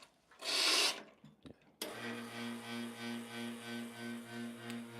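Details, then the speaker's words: Pump on an espresso machine, possibly rotary, gives a steady low drone throbbing about twice a second after a brief rub while the machine runs; owner unsure of the cause, but the machine still works fine. "I think it's a rary pump is I'm not not sure what's going on with yeah but you know it's all right still works fine"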